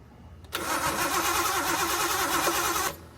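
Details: Nissan 240SX with RB engine swap on stock ECU: starter spins steadily about three and a half compressions a second for two seconds, never catches; cam angle sensor and coil pack power being checked.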